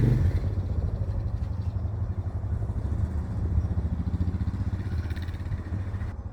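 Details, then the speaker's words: Suzuki DR650 started after winter following fuse and battery replacement, choke pulled; even steady low thumping from the big single, regular firing pulses, no knock or clatter, normal healthy idle. "as you can hear sounds [Music] like starting up but she's going so success"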